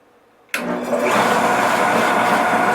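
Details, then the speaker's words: Wattcycle 12V 100Ah LiFePO4 trolling-motor battery powering a Shopsmith through an inverter: motor catches instantly and spins up to a steady even hum; amp clamp captured 379 A startup surge, normal start. "right, started. All right, it started it up. And my amp clamp captured 379 amps."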